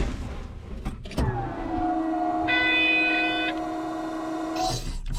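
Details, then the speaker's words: 2007 Caterpillar 16H motor grader at start-up: a thump, then steady electric whine holding an even pitch for a few seconds; supplemental steering pump working (machine has no main steering without it). "what you're hearing there is a supplemental steering pump"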